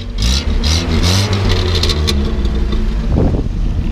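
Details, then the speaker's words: 1970 Land Rover 88 Series IIA, warmed after a cold start, revved a couple of times: picks up cleanly, drops back to steady idle, no misfire, knock or smoke; smooth sewing-machine-like, well-maintained healthy engine. "It runs really smooth. Almost sounds like a little sewing machine. I like the just smooth. Go ahead and rev it up a couple times. You know, it doesn't blow smoke or anything. Just a clean running little motor."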